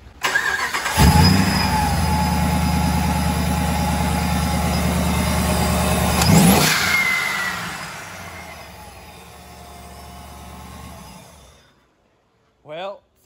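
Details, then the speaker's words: Supercharged Hemi Battlewagon after fitting a Kenne Bell Boost-a-Pump for more fuel flow: fires up and settles into a smooth, steady run with an even beat and no misses or knocks; running well again. "good it's running good again we're gonna make sure that we're getting the right amount of fueling on the road"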